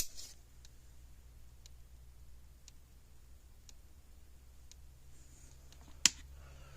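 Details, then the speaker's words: 35-year-old Blitzer 8555A solid-state electric fence charger after a fuse change: faint, regular ticks about once a second with a low hum underneath, no flashing lights, weak pulsing pointing to an internal fault. "that's a good sign that means the gym bullet fuse but it's not flashing lights pretty quiet so something's wrong on the inside"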